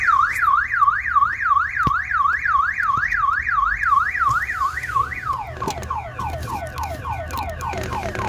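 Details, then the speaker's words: 2007 Ford Focus towed in with a no-start: a loud rising-and-falling electronic wail, about three sweeps a second, runs on without stopping; the faulty aftermarket alarm module is blocking starting, and the fix is to disconnect it via its fuse or wiring. "This car come by tow truck, it doesn't want to start. Oh, and the alarm is messed up."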